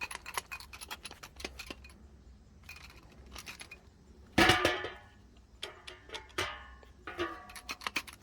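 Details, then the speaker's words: Removed starter from a Chevy Equinox / Pontiac Torrent that wouldn't start, shaken by hand: loose metallic rattling and clinking in bursts; broken loose parts inside. "so I changed a lot of starters in my days but never have I once heard this noise that's probably why I wouldn't start something broken and loose in"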